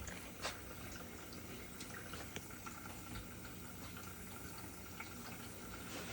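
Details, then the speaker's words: GE dishwasher (not washing, stuck in drain, FTD error) on test after the drain stopped: quiet, steady trickle and splash of water filling the tub, no pump strain; normal water fill before the wash. "All right, close the door back. And watch it. It's gonna fill up, then start to wash."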